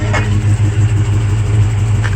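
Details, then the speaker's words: 1973 Nova, factory 350 V8 with Offenhauser dual port intake, long tube headers, TH350, 150,000 miles: loud lumpy idle with sharp pops about two seconds apart; backfire and miss, owner suspects the carb. "needs some more repairs the oil leaking from the engine and it's a little pumping missed backfire"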